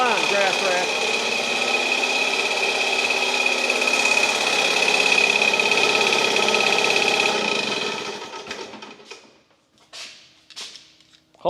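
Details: Restored 1952 US military DC generator, small two-stroke engine, started by alligator clips from a battery: fast, even buzz with a steady high whine, then winds down and stops; healthy.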